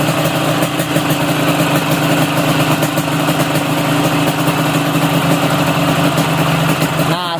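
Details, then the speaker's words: Yamaha RX King two-stroke during carburetor air-screw adjustment, idle screw turned too low: the idle goes soft and sagging with uneven popping and nearly stalls, and turning it lower stops the engine; idle set too low. "putar lagi ke kiri sampai langsam ya atau sampai anak bunyi knalpotnya nggak terlalu besar dan jangan terlalu kecil karena kalau motor ini kalau terlalu kecil biasanya mati kalau dipanasin"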